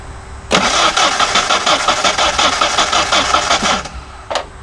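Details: Ford Ranger: starter cranks the engine steadily, about three turns a second for three seconds, but it never catches; fuel pump relay clicks yet fuel pressure is very low. Crank, no start, cause not confirmed.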